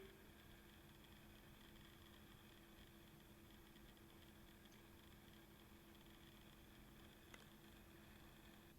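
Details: Platinum Blue DC aquarium return pump, decibel test with cabinet doors closed (about 33 dB; 47 W wide open): barely audible steady hum with faint even tone, no rattles or surges; quiet, normal running.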